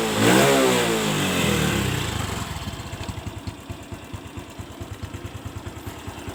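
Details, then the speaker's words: Honda Revo fuel-injected motorcycle, neglected and never serviced, just after air filter and spark plug service: a short throttle blip, then an even, steady thumping idle with no knocks; idle is fine, though a noise appears when revved hard. "sepeda motor ini langsamnya masih bagus suara mesin aman-aman saja Ndak ada kendala"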